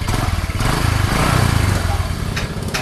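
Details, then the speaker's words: First-generation carburetted Honda Supra 125 (about 2006–2007), after replacing the piston set, con rod and plate that caused its rough, clattering noise and lack of power: the single-cylinder engine now runs with a steady, even low thrum and no knocks or rattles, sounding normal. "Hai sekarang sudah tidak ada bunyi-bunyian lagi di sini Yang aneh-aneh ya"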